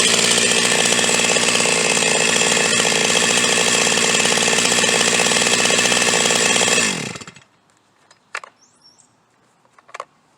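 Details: Huztl G366 (Stihl MS361 clone) chainsaw, owner suspects plugged fuel tank vent; restarted after popping the fuel cap, it runs at a steady high rev with an even buzzing note, no surging, then cuts off cleanly and goes quiet.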